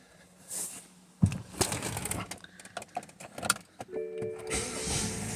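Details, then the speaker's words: 2013 BMW X5 (E70) with door locks acting up, tested beside the door with a newly generated key: quiet, then crisp actuator clunks as it locks and unlocks on command; normal central locking, key confirmed working. "Okay so just to show you that proves out this key has been generated correctly it's working properly it locks and unlocks with the command from us"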